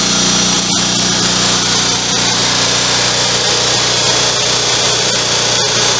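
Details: Rebuilt Kohler Magnum M18 single from a Cub Cadet 1882 on a test stand: steady, even high-pitched buzz holding one speed, no knocks or stumbles; running clean and healthy.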